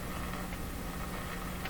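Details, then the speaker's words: CBS Columbia 5330 vacuum tube clock radio powered on about 60 V, roughly half normal voltage, through an isolation transformer: big steady warm low mains hum with the radio barely audible or absent. "we hear a big hump but I think I can hear the radio in the background there let's There's No radioing Going On it's a nice warm hump"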